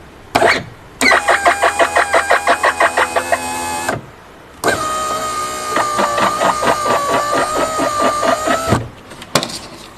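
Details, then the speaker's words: VW Passat power window regulator: motor runs twice with rhythmic squeaky chatter over its whine; dealer advised replacing the regulator, noise thought to come from its two pulleys, to be lubricated. "他去四 S 店做检查的时候，说让他要更换这个玻璃升降器。我们来听一下，确实有一些异响。"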